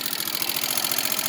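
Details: 1987 Suzuki LT300E single-cylinder ATV idling after oil change to 10W-40 and cam tensioner reset: light fast valve tick over thin high clatter; owner suspects the head must come off.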